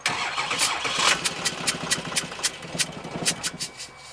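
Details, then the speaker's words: 6.6 Duramax diesel (believed 2006 LBZ) for a Jeep Wrangler swap, body control module unplugged: catches briefly then dies within seconds, as if out of fuel; VATS anti-theft shutting it off, may need ECM programming to remove. "Almost looks like it ran out of fuel there. See, that's it turning it off."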